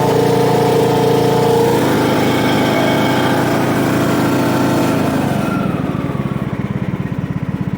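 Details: John Deere LA115 riding mower, 19.5 HP Briggs & Stratton, after drive belt and pulley replacement: small single-cylinder runs strong and steady, pulsing evenly about three times a second as it settles; no belt squeal, healthy.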